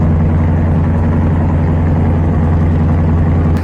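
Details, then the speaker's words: Carbureted engine tuned for winter, choke almost open, at full high fast idle around 1200 rpm, might gain another 100: steady smooth deep drone, no misses or rattles; normal fast idle. "all right we've pretty much come to a full high RPM might gain another 100 RPM if that"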